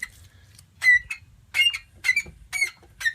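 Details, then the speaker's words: Gravely 814 engine turned by hand after freeing up and cooling: sharp, high metal-on-metal squeaks in bursts about every half second; owner suspects a bearing, possibly rings, unconfirmed, engine to be torn down. "Ooh. That is definitely the sound of metal on metal. And why do we have that sound is the question. I have a feeling it's a bearing."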